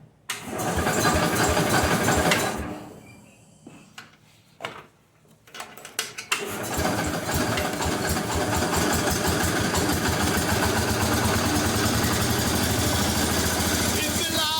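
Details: Cub Cadet with a rebuilt Kohler K-series single-cylinder engine, first start choked: it cranks, catches and settles into a steady, even thump of about four beats a second with no knocks or misses. Normal running.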